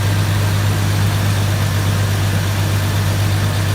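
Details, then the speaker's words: 1999 Jeep Cherokee after an engine swap, first fire with an oily cylinder: smoky but a deep, steady, smooth idle drone with no misses or knocks, only a slight tick. Not yet warmed up; compression check planned. "Smooth, though. Damn smooth. You jacked your tick a little bit."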